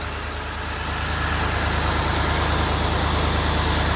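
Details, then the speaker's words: BMW E64 6-Series N62 V8, after oil filter cover cracked and it was driven 500 yards with zero oil pressure, new cover and oil fitted, running rich: smooth, even idle, no knocks or strange noises; engine survived. "there we go that sounds lovely by the way that's perfect haven't got any worries about that at all no weird noises or anything"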